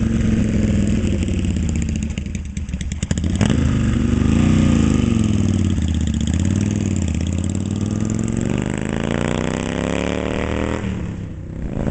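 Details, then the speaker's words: 1972 Yamaha XS2 cafe build, rephased crank and cam, Pamco ignition, kick-only, Pandemonium pipes with Bub mufflers, outdoors in cold weather; twin catches and settles into a steady even beat, revving cleanly; sounds mean and healthy. "Alright, here comes old Tevo. Man, that thing sounds mean, doesn't it?"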